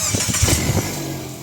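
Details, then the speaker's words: Mitsubishi Xpander after rear brake service: engine cranks with a few quick pulses and settles to a steady idle with the brake pedal pressed, with no more scrape or squeal from the rear brakes. "Nawala yung ano kahit yung preno ko. Maganda na yung preno ko ngayon. Maganda na. Wala ng tumutunog oh 'di ba?"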